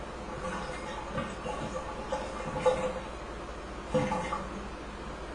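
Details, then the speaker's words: Hydro tub draining during home inspection: irregular wet glugs and bubbling every second or so as vacuum breaks under water pressure; drain gurgling, possibly a blocked vent, plumber to check lines. "that's where the vacuum is breaking due to the pressure of water uh so I recommend plumber has a look at the lines"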